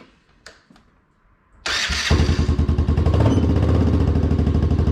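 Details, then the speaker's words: Can-Am DS90X after a new starter, new starter idler gear and new CVT belt: quick crank, catches straight away and settles into an even, steady putter, much quieter with no grinding; clutch and belt working. Normal start and idle. "definitely sounds a lot better when you try and start it definitely a lot quieter clutch seems to be working belt's working"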